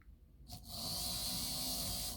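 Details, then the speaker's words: Proto2K GP7 model locomotive drive unit after replacing all four broken axle gears: an even, high, smooth whir from the motor and gears with no clicking or skipping; normal running. "All 4 of the gears ended up being broken, so it seems to"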